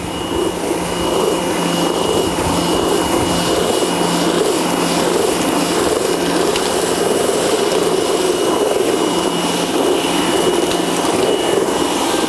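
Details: Nilfisk C110 (Compact 110.3) pressure washer cleaning a dirty deck with its rotating patio and decking cleaner attachment: steady even motor drone with a thin constant whistle, no surging, knocking or grinding; pump running normally.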